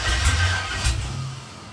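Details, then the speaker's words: LS engine cranking with fuel relay disconnected after hard, rich-smelling backfires: starter turns it over with two heavy, lumpy chugs about half a second apart, then dies without catching; uneven cranking, no start. "that's weird do you hear how it kind of like chugged that one rotation anyway fuel's not hooked up right now"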